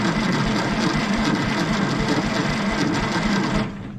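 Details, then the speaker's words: 1960s Galion grader being restored, with ether tried: steady rhythmic cranking, roughly three to four compression beats a second, for under four seconds with no fire; cranks but won't start, spark issue suspected and the starter slow. "well the ether didn't do it so i'm going to say that we have a spark issue"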